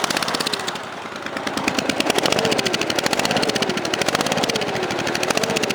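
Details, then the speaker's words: Cub Cadet 3050 four-wheel-drive tractor held at idle with a homemade muffler: fast idle with crisp, even exhaust pops; this side sounds a little louder and sharper, cause unclear. "Hear that? Now this is the other side. This is a little louder."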